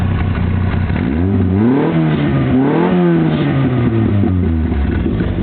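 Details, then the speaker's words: VW Fox with new exhaust pipes, catalytic converter, cherry bomb muffler and lever-operated cutout, cutout pulled open: throttle blip rises and falls with deep, loud, open bark like a muscle car, revving cleanly. Normal loud open-cutout note. "sounds a lot like a muscle car."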